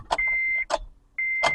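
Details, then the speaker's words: 2008 Honda Civic towed in with a no-crank no-start despite a new battery; turning the key gives only a chime and a couple of dull clicks with no cranking, traced to a faulty starter motor. "nope nope no crying no start"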